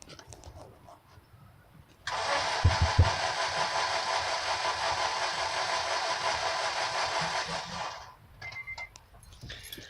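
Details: 2006 Honda Civic Si with 162,000 miles, bought not running, cranks steadily for about six seconds without catching. Fuel pump primes and the immobilizer light goes off, and the intake gets hot. Owner suspects intake backfire and wonders about the timing chain: crank, no start.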